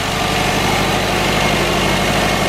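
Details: Subaru turbo boxer idling just after cold start following Grimmspeed 05-09 Legacy GT/Outback XT top-mount intercooler install: steady even rumble, no misses, ticks or whistles; no leaks, air-fuel and idle fuel trims normal.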